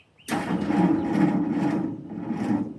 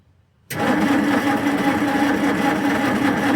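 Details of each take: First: 1946 Jeep being revived, first crank with electric fuel pump unhooked to build oil pressure, on a salvaged battery: starter drags engine slowly and unevenly, few sluggish turns a second; weak battery suspected no good, slow cranking. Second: 1946 Jeep being revived, cranked with a better replacement battery, checking for oil pressure: starter spins engine briskly, evenly, steadily without slowing; normal healthy cranking.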